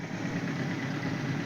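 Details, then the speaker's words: 1978 Suzuki GS1000C after replacing number 2 carb float needle valve assembly, fresh gas and new fuel filter: smooth steady even idle, no stumbling, no fuel leaking. "So I pulled the bolt and then pulled the float and then swapped that out. So yeah, she's purring now. No fuel underneath."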